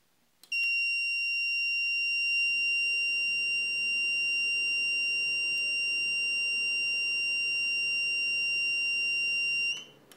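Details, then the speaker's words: Used FirePro V7900 graphics card installed without its 6-pin PCIe auxiliary power cable: loud steady high-pitched alarm beep for about nine seconds at power-on; fixed by connecting PSU power cable to the card. "I turn on my computer and it makes this loud beeping noise and it took me a bit to figure it out"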